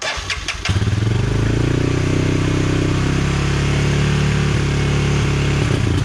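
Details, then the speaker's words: 1999 Honda TRX 300FW ATV after sitting for years with bad gas, first start after carburetor cleaning, on choke: single catches and runs with a wavering, stumbling beat that won't settle into an even idle, still rough. "well it runs just not perfect yet"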